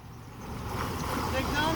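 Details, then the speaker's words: Volvo Penta sterndrive Chaparral on a load test after repairs, idling in gear at 600 RPM, 38 lb oil pressure, 163–165°F, old leaking water pump still fitted: low steady idle rumble over water slap, no knocks or stumbles; healthy. "600 RPM so 38 lb of oil pressure at 600 RPMs 165° is outstanding that's what we want to see"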